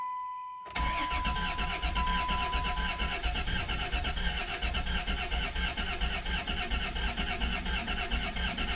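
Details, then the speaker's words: 1991 Dodge Caravan with transplanted 3.0 engine, first start after 19+ years, priming: starter chugs evenly about eighty beats a minute for seconds without firing; cranks fine, a little limpy at first, then oil pressure comes up. "Come on. Might take a minute to prime here. Sounds okay cranking over. It was a little limpy at first, but Oh, hear that?"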